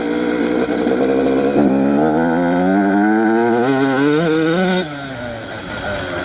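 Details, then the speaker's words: Brand new 2026 Yamaha YZ85 two-stroke, previously running rich and fouling plugs, after fitting 42 pilot jet with air screw two turns out, riding in second/third gear: crisp note climbs steadily, drops off throttle with no sputter; normal running. ">> Yeah, that's pretty good. This thing has no sputtering."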